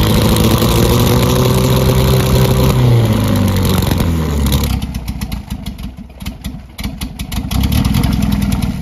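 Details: 1976 MGB with K04 turbo, 157 hp at 12 psi, after hard run: revs fall into a lumpy, uneven idle with irregular pulses about four a second, smoke and coolant from exhaust; blown head gasket again.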